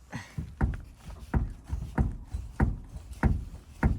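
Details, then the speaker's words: ZAZ-1103 Slavuta rear suspension: deep hollow clunks about every half second, uneven but constant, a knock growing worse daily, traced to a loose rear beam silent-block bolt. "Ну то есть я думаю на камере слышно что стук что стук как бы конкретный на самом деле это вот как бы вот этот момент каждый день сопровождается и он всё сильнее и сильнее"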